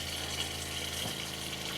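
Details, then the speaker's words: Electric water pump in a Mercedes Vario camper van running to bleed air from the lines before feeding an iSpring RO5004F reverse osmosis filter: steady hum with rushing, spitting water, running normally. "Okay, so the first thing I'm going to do is turn on my water pump to bleed my actual system."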